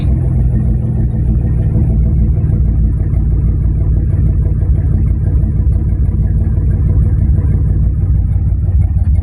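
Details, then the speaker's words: 1991 GMC Sonoma after rough-idle fix with a new PCV valve and cleaned nozzle: deep, steady idle rumble with an even beat and no stumble or misses; normal idle. "Okay, let's see if this new PCV valve and cleaning out that nozzle there cleaned up my idle."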